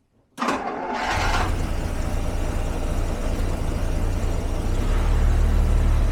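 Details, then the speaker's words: 1974 Jaguar XJ12 Series 2 carbureted V12, sat six years, previously running on about 7 cylinders; after a timing adjustment, with choke, cold, it catches quickly into a deep, slightly uneven idle, feeling like all 12; starts and runs after timing adjustment. "but it does fire up, and it does feel very, very 12 cylinders. Not at all like before."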